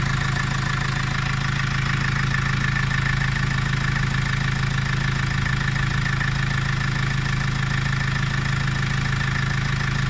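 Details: Vivaro cold at idle: steady fast knock about three per second over deep drone, rough, eases once warm; also dump-valve noise in 1st/2nd, slight black smoke; owner suspects EGR or vacuum leak.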